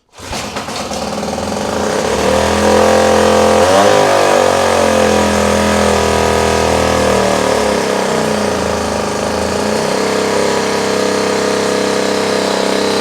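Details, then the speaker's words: Small outboard. It revs up quickly, then holds a steady, even buzz with slight speed swings, running cleanly with the choke off. It is dripping from a leak, possibly at the intake, and the gear works. "I heard it running, so now I know that it's able to do just that in a pinch."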